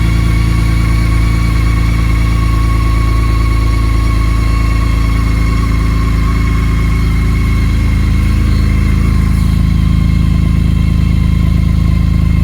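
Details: 2019 BMW K1600GT with 20,430 miles, cold start after almost 5 months of Minnesota winter storage on the centre stand, kept on a battery tender, tank topped with premium and no stabilizer: a smooth, even low idle hum with no knocks or rattles. Healthy.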